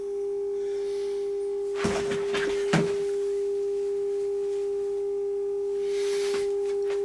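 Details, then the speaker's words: HMV 2400 Stereomaster amplifier after recapping, cleaning the rotary mode switch and replacing driver transistor VT13 with a BFY52: clean steady 400 Hz tone with a couple of handling knocks after a soak test; both channels working. "yeah both channels are still working this was on a test for about eight hours so i'm satisfied this can go back in the cabinet"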